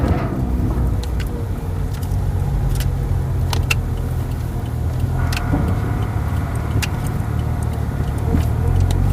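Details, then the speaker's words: 2008 Toyota Altis that stumbled, stalled and hunted idle, after fixing broken wiring on the engine coolant temperature sensor: even low hum with no dips, hunting or stalling, a few light clinks nearby; idle now steady. "รอบนิ่งหายแล้วรอบนิ่งครับรอบนิ่ง"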